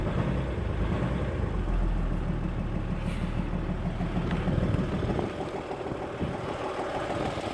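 Heavy diesel idle with an uneven knock, about three beats per second under the clatter. It's knocking, cause not yet pinned down.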